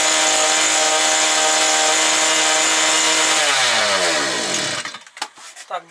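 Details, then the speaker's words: New two-stroke brush cutter that would not start, now running around 9900 rpm. Steady high-pitched scream at constant speed, falling smoothly at shutoff: clean, healthy running. "Трошки ще веселіше ж хай піде і все буде добре. Так що вроде працює, правда?"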